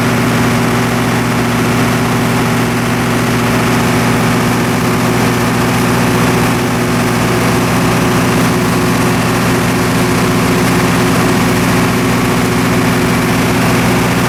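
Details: MEP-004A 15 kW three-phase four-cylinder military surplus diesel generator, first start after years of sitting and repairs: loud, even diesel drone with a steady firing beat and no misses or knocks; runs smoothly.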